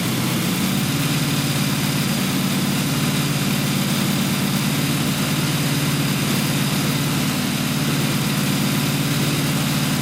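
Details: Newly built blown 355 Chevy V8, Weiand 6-71 blower, two Holley 600 carbs, solid roller cam, target idle about 1,200 rpm at 12.8:1 AFR; deep steady idle with slight lope, even firing, no misses, knocks or rattles.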